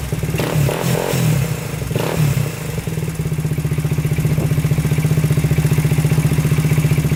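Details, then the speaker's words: 2000 Honda 400EX quad after lock-up on first ride: ragged throttle blips, then a heavy, loose, evenly thumping idle with rough clatter that shuts off under throttle; owner first suspected overheating piston seizure, but the crank bearings are badly worn. "it's like electrical or spark plug but really it's just the crank locking up"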